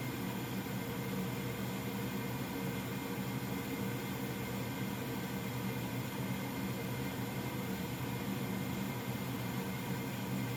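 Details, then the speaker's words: Old Goodman gas furnace running after startup (igniter glow, inducer on): even, steady rushing hum of burners and blower with no rattles, bangs or surging; running smoothly. "I'll go ahead and start it up and you should see the little fire starter in there glow and the inducer come on"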